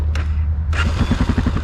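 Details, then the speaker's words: Honda XR650L the next day, after the factory cam decompression mechanism was refitted, cranked by the starter with the engine switch off at around 40s°F with a slightly low battery: quick, even thumps with no heavy catching on compression, so the decompressor works properly. "Let's do a crank with the engine switch off. That's how it sounds. You can hear the decompression working properly."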